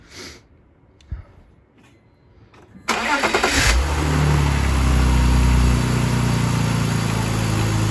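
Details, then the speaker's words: BMW E46 330xi after valve cover gasket and spark plug replacement: quick crank catches and settles into steady, even idle with no misfires or stumbles; healthy start and idle. "sounds like it's running really good no misfiring at all"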